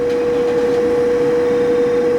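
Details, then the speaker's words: Power vent gas water heater, on a middle floor where a quiet fanless direct vent was possible; about 74 dBA A-weighted beside it, like speaking voice, heard easily downstairs. Loud constant fan drone, steady mid-pitched hum; blower very loud. "That's pretty loud. It's about the same as my voice. If I'm talking right about, right here, right next to it. And so these power vents, you can hear them very easily downstairs."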